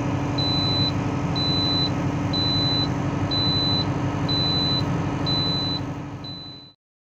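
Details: Valtra BM 110 tractor running with a high steady beep about once a second: transmission oil warning alarm.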